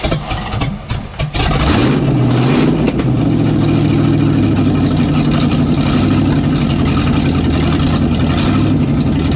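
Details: '67 GMC C10 with newly swapped 400HP small-block Chevy 350 with a little cam, first test start before full reassembly: cranks, catches after a second, settles into a lumpy, even V8 idle; runs healthy.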